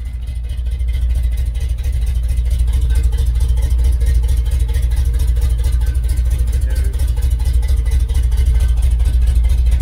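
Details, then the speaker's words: Restored 1969 Chevelle Malibu V8 at steady idle, before paint: deep lumpy burble through loud mufflers, even firing, no knocks or misses; owner says it runs great. "uh we're going to start it up it runs great"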